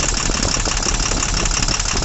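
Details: Tata Cummins BS4 truck diesel with heavy vibration, no pickup and unable to exceed 40, during an injector cut-out test: heavy uneven knocking through a rough, shaking idle. A dead cylinder misfiring, traced to a broken valve.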